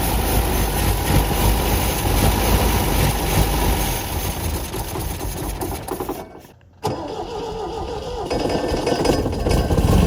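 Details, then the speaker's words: 1974 MGB roadster parked 30 years, new points, rotor and plugs: catches and revs unevenly, nearly dies, then picks back up lumpy; clacking quieter, owner thinks fuel may now reach carbs but still runs rough, oil pumping from dipstick tube. "this is not clicky clacking as loud as it was we maybe we knock something loose and it let let the fuel go in but still not running real good"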